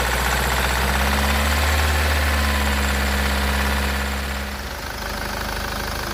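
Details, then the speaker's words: SsangYong Musso diesel, engine rebuilt: steady idle, even low thrum and light regular clatter, no misfire or stumble; running nicely. "so she's running mint now it was number two injector that was knackered and I had one in my toolbox so I'll put that in there and it's running nice"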